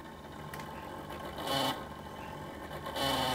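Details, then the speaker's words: Marshall guitar amp cooling fan: low steady hum and motor-like whir with occasional scratchy surges. It sounds more like a motor than before and probably needs a clean; cause of the buzz uncertain. "Seems slightly different to when I last did it. More like a motor. It probably does need a clean, if that's what you would advise."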